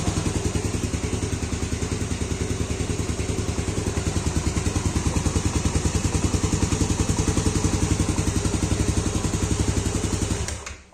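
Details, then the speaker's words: Fuel-injected motorcycle after a hard-starting fault traced to a bad sensor socket (codes 22, 13, 15 cleared), broken wire soldered and injector refitted, battery 12.3 V; starts on first press and the single cylinder idles evenly with no misses, then cuts off cleanly; normal. "Nah, motor normal ya. Sekali di starter normal."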